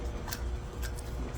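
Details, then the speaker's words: Twister T4 cannabis trimmer, stainless version, pre-run inspection with belt removed and blades spun by hand: light, even ticking with no growl or rumble, so the blade bearings spin freely and sound good. "it's been amazing free so they spin nice they spin smooth there's no growling or rumbling the bearings sound good"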